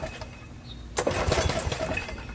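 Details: Snapper riding mower that won't start; after carb spray and choke, one pull gives a short rasp of cranking with no firing at all; fuel problem, flooded by a carburetor float needle that won't seat.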